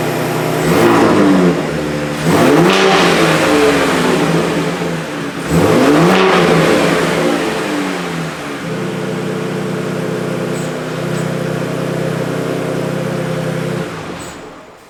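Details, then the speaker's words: 2023 Ford Raptor 3.5L twin-turbo EcoBoost with aftermarket exhaust and factory diverter valve, before blow-off valve install: three sharp revs falling cleanly to smooth idle, no turbo whoosh on lift-off; normal free revving. "so as you can see it sounds good with the exhaust but there is no turbo action happening on that deceleration when you get off that throttle you want to hear that whoosh"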